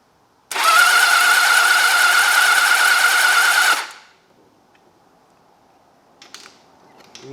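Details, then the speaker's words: Old four-cylinder motorcycle (XJ650/CBX750 project) cranked with the plugs out and WD sprayed down the cylinders, checking for spark: a steady, even starter whir for about three seconds with no firing or compression pulses; the engine spins freely. "Right, batteries hooked up properly. I've taken the plugs out. Uh, squirted some WD down the cylinders. So, I'll wind it over for a bit and we'll see if we got some spark."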